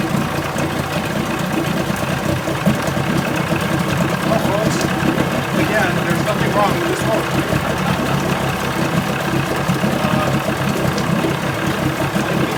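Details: 1980 Chrysler 45 hp outboard with replaced coil packs, points attended to and new L82C plugs: it started after cranking with the warm-up lever at fast idle and settles into a steady, even idle with no misses or knocking. It sounds healthy.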